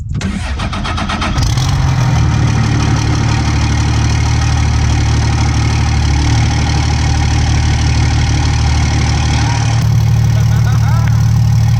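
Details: 2007 Ram 2500 4x4 dually just after installing 103% over injectors: cranks briefly, catches quickly and settles into a steady, even diesel idle with no misses or stumbles; normal start and idle.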